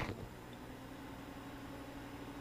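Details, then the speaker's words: Off-grid solar system with Magnum inverter and Trojan L-16 batteries at initial startup, charging from generator AC. The inverter cooling fan runs with a soft, steady whir and even hum as charge current ramps to 80–90 amps, then drops; normal. "that's the fan it's 80 88 amps 90 amps and now it's dropping again"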